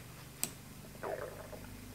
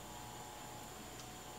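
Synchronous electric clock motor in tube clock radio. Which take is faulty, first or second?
second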